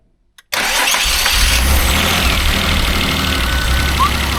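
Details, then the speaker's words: Mazda Bongo 2.5 V6 after new fuel filter and ignition parts: starts into uneven, lumpy idle with irregular stumble; still misfiring quite badly, cause not yet found (blocked injectors suspected). "oh the mfire um that's running a bit better it's still slight mfire okay it's still misfiring quite badly"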